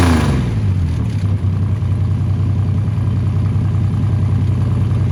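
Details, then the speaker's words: 1979 Ford Capri Mk3 Ghia 3.0 manual barn find, running after about 20 years, fed from a jerry can, no coolant so run only about 5 minutes: catches quickly, steady even low rumble, no knocks or misses; engine good. "Got it running, that was the goal. We know she's good, we know the engine's good."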